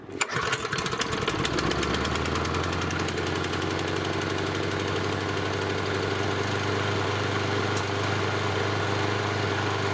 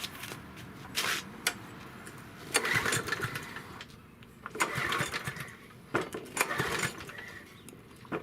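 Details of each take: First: Yard Machine 6 HP 21-inch lawn mower that sat unused over a year and would not start: after repair it fires after a short crank and settles into a steady, even putter with no misfires; running normally. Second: Yard Machine 6 HP 21-inch lawn mower that had sat unused in a backyard for over a year: uneven pull-cord cranking bursts with sputters, and the engine never catches; crank, no start.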